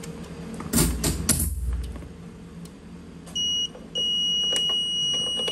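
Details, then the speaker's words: HAUDIO EX-8 audio processor: handling clatter, then a high-pitched beep holds continuously after a key press is accepted; after a while the unit switches to a DFP error fault, leaving no audio output. "lỗi khi chấp nhận thì máy kêu liên tục và một lúc sau chuyển sang báo lỗi dfp Eros"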